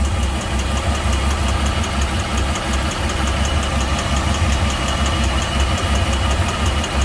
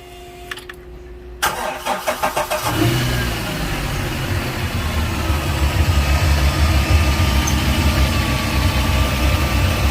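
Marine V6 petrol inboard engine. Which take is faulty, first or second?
first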